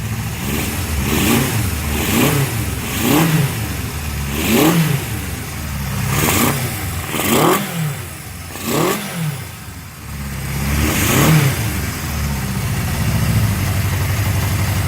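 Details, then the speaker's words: Honda CB750F Super Sport on an early jump-started run after freeing a softly frozen motor and rebuilding the carbs, penetrant likely still in a cylinder: uneven four-cylinder revving with a rough, lumpy idle between blips, still clearing out. "it's got probably some of that pv blaster in a cylinder still and as you remember it was it was very softly frozen"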